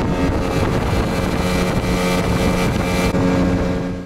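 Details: Yamaha two-stroke outboard (8 hp) running at top speed on 92 petrol: steady high-pitched drone holding even under wind rush, no surging or stumbling; clean full-throttle running.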